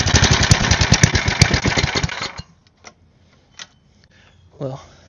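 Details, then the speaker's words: Side-shaft small go-kart engine after the carb was cleaned and blown out, choke off: uneven popping for about two seconds, then it dies out; owner thinks the carb needs more work and may have more holes to check. "I think the carb's gonna need a little more work, so I'm going to pull it back off and check for some more holes that I haven't seen, and I'll get back to you guys after I do that."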